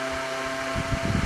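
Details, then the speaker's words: Old Kwik Kool oscillating fan from a yard sale, running the day after rewiring the cord; steady hum with a few fixed tones and faint low rumbling flutter, blowing strongly and evenly, just a little noisy; normal running. "but we will definitely do that because uh it's a working fan a little noisy but it'll be good for the shop here"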